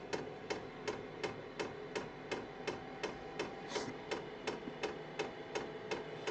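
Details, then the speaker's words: Kroak TB2 8 kW 12 V diesel heater in a case, installed in a basement workshop, at startup as the fan spins up: crisp even ticks about three a second over a soft fan hum; normal dosing pump clatter, heater feels decoupled. "When I touch the device, I have to say, however, that the heater, the auxiliary heater, is decoupled. At least that's how it feels, because you can hear the clattering, but you can't feel it."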